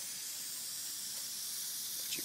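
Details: 2001 Jeep Cherokee Sport 4.0, idling after a 1.5-mile drive and overheating from about 200 to the warning lights; radiator and thermostat already replaced. A constant airy hiss of steam escaping; the coolant leak was from a blown head gasket, fixed by replacing it.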